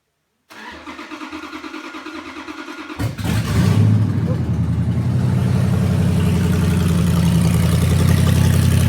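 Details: Junkyard 2009 5.7 Hemi V8, about 80,000 miles, with Hotwire harness and 09 Challenger PCM, first start on a run stand after priming oil: slow even cranking, fires right up into steady strong idle with one rev; slight smoke from oiled cylinders. Normal start.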